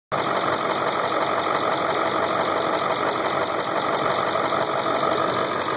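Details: Ford 7.3 diesel at idle: even steady clatter, no heavy knock; owner feared a knock, but three years and 70k miles later it proved normal and healthy.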